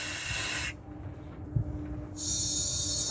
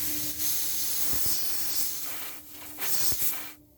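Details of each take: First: 1998 Dodge Dakota rear air suspension conversion. The leveling valve vents the bags while lowering, heard as a steady sharp hiss in two spurts. This is normal exhaust toward ride height, with about one inch of tolerance. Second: 1998 Dodge Dakota rear air suspension conversion, leveling valve. A sharp, steady hiss whenever supply air is applied; it drops away briefly and returns. The valve is leaking.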